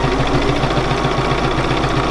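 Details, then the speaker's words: Bernina 475QE sewing machine doing free machine embroidery in a hoop with presser foot down; quick, even stitching rhythm, about seven stitches a second, over a smooth motor hum with no clatter; runs lovely and smooth. "So I'm going to set off. Oh, listen to that, lovely and smooth."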